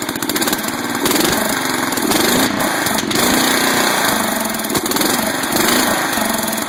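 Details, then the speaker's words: 12.5 hp flathead mower engine ("biohazard"), sat about three weeks, hunts unevenly and nearly dies off high throttle with sharp pops through the intake; backfiring through the carb. Owner suspects carburetor; rust and debris later found in bowl, carb to be cleaned. "Backfiring through the carb. Carburetor may be a little screwy on the biohazard, so we're going to pull her off and clean it."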